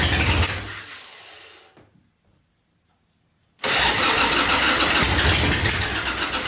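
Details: 1985 Harley-Davidson Ironhead Sportster, recently bought, first start after battery charging; engine goes quiet, then fires at once and settles into a strong, even loping idle, starts and runs properly.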